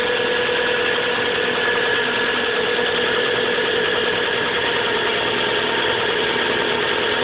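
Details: 1997 Subaru Legacy Outback, winter, cold idle: busy uneven tapping knock over engine note, louder over time, fading after about 20 minutes of driving and returning briefly at idle; cause unknown.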